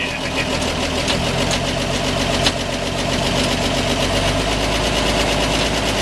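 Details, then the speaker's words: 1946 Chevy 2-ton cab-over, 235 inline six, first run in years after head rebuild fixing two stuck exhaust valves: fast, steady idle with raspy exhaust and no knocking; idle good but somewhat high. "we got the old tur 23 235 running idle's good kind of a high idle"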